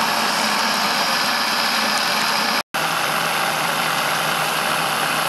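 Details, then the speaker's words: Saito T2DR steam engine on B2F boiler, alcohol burner, throttle being pulled back: steady even exhaust hiss with no knocks or stumbles, running smoothly. "so you can hear it engine's nice and smooth pull back on the throttle some more"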